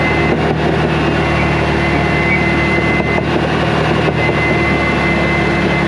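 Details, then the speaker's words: Dozer pushing dirt under load: heavy rumbling track clatter with a thin steady squeal on top; track squeak, owner unsure whether a roller bearing or the track. "This thing's got a little bit of an annoying squeak over there. I don't know if it's a roller bearing or a track or what, but it sounds bad on camera."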